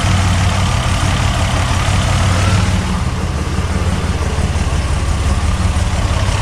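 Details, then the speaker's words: Buick Regal Turbo barn find after plugs, wires, in-tank fuel pump and fuel filter; deep idle with uneven, stumbling pulse, still misfiring from one dead cylinder, located by infrared thermometer on header tubes. "so that starts up and runs still got a little bit of a misfire"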